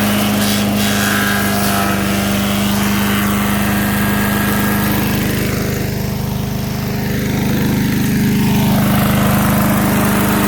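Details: MTD 5 hp chipper/shredder, owner guesses 1990s-built, running after a carburetor kit replaced the bad carb: small engine drones steadily, dips in pitch as wood feeds in, then pulls back up and recovers; normal running under load.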